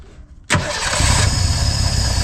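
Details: 1962 Ford Falcon wagon with a 200 cubic inch straight six, believed from a 1966 Mustang, sat over 20 years; no fuel reaching the carb, choke stuck open. Starter whirs, then a rough, uneven roar that never settles. Runs briefly on poured-in fuel, then dies.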